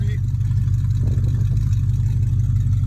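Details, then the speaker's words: 2002 BMW 745i V8, flood-damaged electrics, after start-up: deep heavy rumble with loud open exhaust drone at idle because catalytic converters were removed; loud exhaust from missing catalytic converters. "and the catalytic converters are are gone due to someone selling them as parts and that's why this vehicle is that loud as i can show here"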